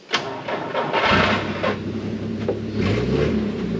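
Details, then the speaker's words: 1949 Chrysler, after ignition points spring fix. Brief crank then catches right away and settles into a low even idle; starts easily, normal cold start. "the Whoppers we got them working they Crank It Up it starts real easy"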